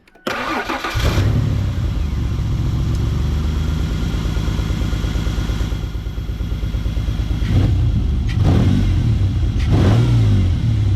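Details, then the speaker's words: 1995 Ford Explorer, 243,000+ miles, after cleaning the MAF sensor: starts and idles with an unsteady beat, revs bog and stumble before picking up and still reach the rev limiter, slight miss persists at idle. Misfire with hesitation, cause unconfirmed. "pretty bad hesitation there. Still seems like we have somewhat of a miss, but it will bang off the rev limiter, so I guess it's doing all right."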